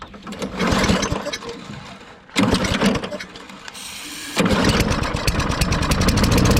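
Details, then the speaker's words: Toro Recycler GTS 6.5 hp mower rescued from the trash, no air filter, half-stale gas: after jet cleaning and gum cutter it catches on each pull, runs ragged and dies, firing only on spray; carburetor jet and likely emulsion tube still clogged, needs full carburetor teardown. "the mini clean did not work the carburetor is obviously clogged up that jet was really really super clogged and probably the tube where the jet screws in that emulsion tube's clogged"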